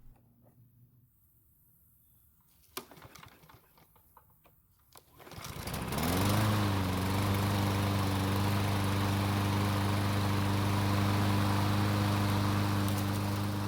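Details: Six-year-old Troy-Bilt mower that wouldn't start, after draining water from the fuel and flipping the blade: catches after a few pulls and settles into a smooth, even drone, running healthy.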